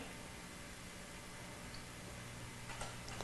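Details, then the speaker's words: 2004 Audi A4 1.8, engine off, throttle body making soft irregular clicks while running a throttle adaptation relearn commanded from a scan tool's basic settings; normal operation, adaptation completed OK. "I'll hit change you're going to hear the throttle body"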